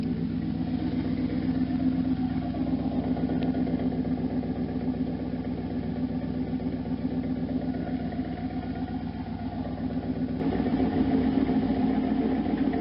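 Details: 1992 Camaro Z28 with a stock L98 350 V8 and a Flowmaster Super 10 loosely fitted without clamps, headers not yet installed: a deep, steady idle burble with an uneven puffing edge, from a probable exhaust leak at the muffler joint.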